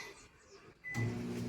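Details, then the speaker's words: Microwave after repair of arcing/shock noise (greasy mica anti-grease plate), test-heating a cup of cold tap water about 30 seconds: after quiet, a steady low hum with no crackle or arcing; water comes out hot, working normally. "vamos conferir aqui é tá bem quente Então tá funcionando aí perfeitamente normalmente"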